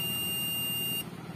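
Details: Hyundai CRT TV with a low-contrast, all-white picture: one steady high multimeter continuity beep of about a second, then silence, confirming the board track has continuity to ground while tracing the fault, later found at a 4148 diode.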